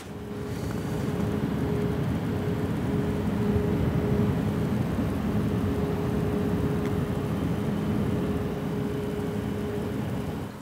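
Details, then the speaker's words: Yeston Zeaginal ZC-ZEUS XT 360mm AIO cooler on a Ryzen 9 5900X, fan noise test: even, steady airy whoosh with a faint constant hum, no ticking, rattle or pulsing; fans run smoothly. "you can hear it 100% F speed so from what you can hear it sounds like a jet engine"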